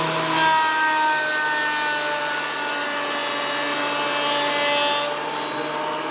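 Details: WEN PL1326 15-amp 13-inch spiral benchtop thickness planer, after repair of misuse damage, planing a bigger board over several passes: steady motor roar with an even cutting hiss, no knocking, chatter or bogging; feeding cleanly, within 0.002 in thickness.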